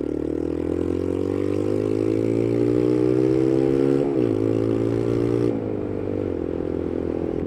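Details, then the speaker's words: Motorcycle with blowing exhaust gasket, one exhaust bolt suspected snapped off: revs climb and settle with a deep raspy chuffing note; booked for a new gasket and probable re-drilling of the bolt hole. "hopefully on Wednesday I'll be able to put a video up without this noise which is both good and bad because like I said it shouldn't sound like this it's not good thing that it does I like it"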